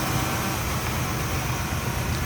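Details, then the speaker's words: 1971 Chevrolet El Camino V8 with headers, idling: deep, steady, smooth rumble with no lifter ticking and no exhaust leak; normal idle. "See how smooth a running V8 that is. Sounds good. No lifter noise, exhaust leak, anything like that. Nice and smooth."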